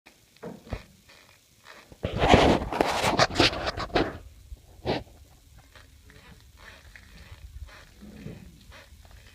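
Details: E-TWOW S2 scooter: short creaky squeaks about twice a second as the rear suspension flexes, from dry rear swingarm bushings; fixed by fitting Teflon washers at the swingarm.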